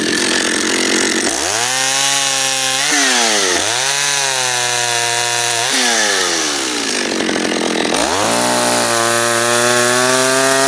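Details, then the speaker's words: John Deere EV45 two-stroke chainsaw, made in Japan, after a carburetor rebuild, cutting wood to burn off fuel. Revs up and settles repeatedly, pitch climbing cleanly with each throttle blip and holding steady. Crisp, even running with no stumble. "let's go cut something up see if we can find some wood to cut"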